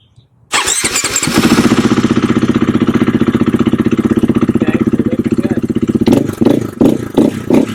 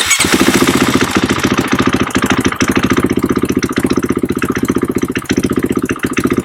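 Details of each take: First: KTM/Husqvarna single-cylinder dual-sport that lost power, suspected low fuel pressure from in-tank pump/filter: fires up and runs evenly with crisp regular firing and clean throttle blips, no stumble; normal running. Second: KTM/Husqvarna bike that lost power, fuel pressure gauge fitted: runs but ragged with repeated dips and stumbles; pump can't build or hold pressure, rising with rpm doesn't help, big in-tank leak with bubbles seen at filler; low fuel pressure.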